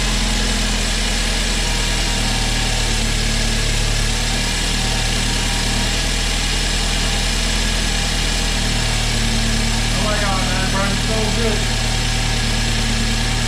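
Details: First run of a freshly rebuilt, previously seized BMW 328i engine, car not fully assembled and drive shafts disconnected: smooth, even idle with a steady beat, no tapping, knocking or misses; healthy.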